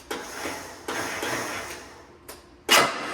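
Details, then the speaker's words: Gravely G-16 tractor, roughly late-80s/90s, not run in a few years, after fixing a wire and spraying brake clean in the carburetor: a few sharp uneven clicks with no cranking; relay sounds a little sticky but popped off. "Sounds like the relay is a little sticky. It popped off though."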